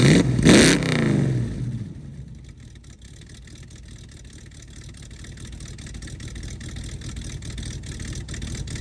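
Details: 1969 Mustang that sat 15 years, warm V8 after vacuum leak fixed and relay working: sharp rev falling back to lumpy idle, no whistle or hiss from a leak; it puffed some smoke on earlier revs.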